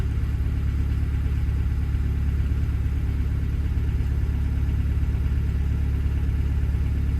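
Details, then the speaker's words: Develon DX62 digger diesel running after hard starting: deep rumble with uneven, lumpy idle beat and vibration, a misfire; fuel filters fairly clean, debris in metering unit, rail pressure erratic (350–370 actual); mechanic suspects damaged injectors, cause unconfirmed. "She's not running the sweetest, like. There's definitely a misfire because I'm getting like a vibration. I think it wants a set of injectors."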